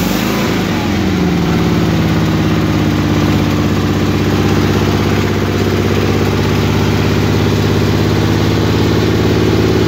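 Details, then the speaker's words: Suburban garden tractor engine on a cold start, idling on choke with a low, uneven, hunting putter that wants to shut off; cold-blooded, runs happily once warm; rough idle when cold. "but this is a cold cold start yeah let her get wet and then she's fighting she wants to shut off but if you let it sit here in idle with the choke on for probably 30 seconds no it ain't happy"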